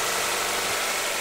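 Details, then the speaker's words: 1997-2001 Honda CR-V after engine swap, first start once fuel system primed and air purged: even, steady idle under heavy hiss, no knocks or misses; normal idle. "all Air pushed out on the fuel system and now we're running first start"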